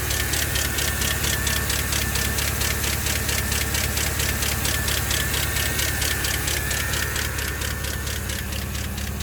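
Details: 2012 Chevrolet Camaro SS L99 V8 at idle: fast steady ticking about two and a half per second over smooth idle; bad engine noise, source unclear.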